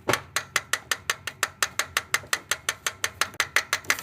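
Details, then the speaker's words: Honda J35 V6, engine off, timing belt tensioner failed (hydraulic leak), belt loose: sharp metallic clicks about three a second as pulley bounces against tensioner body; mimics internal engine knock. "And as stated earlier, the tensioner has failed. So, the pulley is just bouncing against the body of the tensioner."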